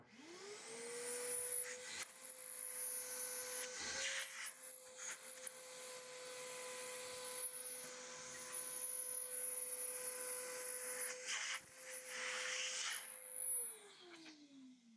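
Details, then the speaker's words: PEMEDOR 9 gallon dual-cyclone dust extractor: motor spins up to a steady high whine with strong airflow hiss, holds evenly, then winds down smoothly; very strong suction, normal running. "Holy crap, the suction power on this thing is freaking nuts."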